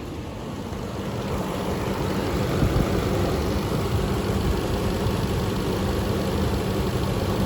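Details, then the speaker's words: 2015 Nissan Titan V8 pickup with stock exhaust idling as it creeps into the garage: steady, even low rumble with no knocks or misses; an extra noise is thought to be a fan outside; engine smooth, normal idle. "That's not chicken noise. That's actually I think that's the quality of the fan out there. So, no big deal. That's the only thing. Yeah, this engine's pretty smooth."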